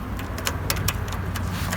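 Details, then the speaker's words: Snapper Hi-Vac mower on trickle-charged battery: steady free-spinning starter whir with no cranking; the bendix does not throw out to engage the flywheel. "So what's happening is we can't get the Bendix to jump up and meet. Flywheel, it's just spinning."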